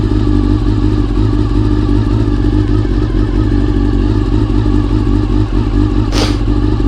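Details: Honda CBR400RR (NC29) after swapping in a CBR600F fuel pump to cure pump noise: smooth, steady four-cylinder running with even exhaust and no pump whine or buzz; fixed, healthy.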